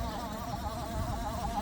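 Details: PC in for noisy cooler: wavering, warbling whir over a low rumble, pitch wobbling slightly; the failing fan is the graphics card's.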